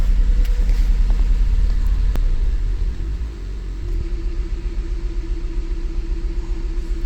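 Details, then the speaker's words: 2008 Mazda CX-9 with codes for cylinder 1 injector open circuit, cylinder 1 misfire and bank lean: a deep, rumbling idle with a lumpy beat two to three times a second; scope shows no injector voltage or current; dead-injector misfire. "let's Crank It Up definitely a misfire"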